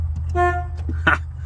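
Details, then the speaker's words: Project Ford Mustang with 302 and badly damaged wiring: short clear horn toot over a low steady hum, then a brief second blip; horn works. "There, oh, horn button works. Found the horn. Woo! That's exciting."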